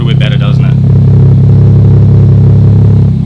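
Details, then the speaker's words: 1993 Toyota Supra RZ JZA80 with a 2JZ-GTE twin turbo and Blitz ECU, being diagnosed for a misfire and hunting idle. After lowering the idle it holds a deep, steady idle around 600 rpm, even, with no stumbling or popping; normal. "so the idol has come down to around 600 and it's idling quite nicely that's sort of where we want it to be definitely no issues there"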